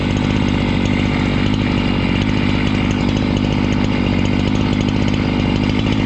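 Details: Husqvarna 268 chainsaw, after repair work for a complaint that it stalls once warm and won't restart (air intake checked, a part replaced), holds a steady, strong buzz through the cut without bogging or dying; engine pulls cleanly under load.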